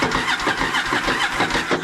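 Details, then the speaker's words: 1983 Yamaha XV750 bought not running, cranked on a jump box: quick uneven starter churn with cylinder chuffs, never catches; cranks no-start. "so far i haven't been able to get it to fire but what i want to do right now is i want to take a seat off a tank"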